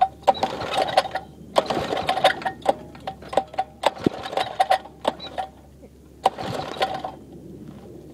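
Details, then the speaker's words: 5hp minibike single with a homemade welded exhaust using a flat-washer baffle and a slight leak. Four recoil pulls rattle with no firing, and it doesn't want to go; it sometimes needs a little gas. Finding: hard starting. "I'll start it up a while because I got to hold on. Sometimes it needs a little gas."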